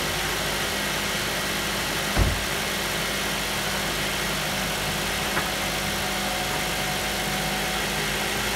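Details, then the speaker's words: 2008 Mazda 5 after valve cover replacement, bolts torqued and plugs reconnected: steady, even idle hum with no knocks, misses or shake; runs better than before, when it had a slight vibration. Normal idle. "there's running better now before I had a slight vibration to it"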